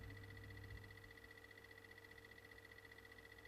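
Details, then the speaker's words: BMW 535d E60 with a newly installed replacement CCC iDrive head unit. Faint, quick, regular ticking at about three or four per second from the unit; the owner suspects its internal drive and plans to swap in the old drive. "there is one thing I'm not happy when these units I don't know if you can hear these clicking noise"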